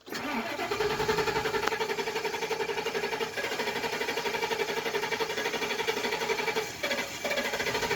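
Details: 2004 E350 gasoline bus, not run for a while, prone to hard starts: long uneven starter grind, about four turns a second, for eight seconds without firing; prolonged cranking, hard start.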